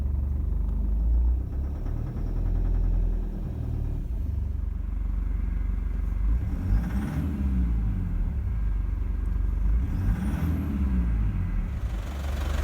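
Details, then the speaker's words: 2007 Toyota Prado 1KD-FTV diesel, 211,000 km, original 13-year-old injectors, coolant 35°C, idling: heavy, uneven clattering knock; injector 3 feedback stuck at −4; worn rather than failed injectors, long overdue for replacement. "this is a typical set of injectors at two hundred odd thousand k so don't think because you haven't got a knock like this this is not injectors failed it's just worn injectors"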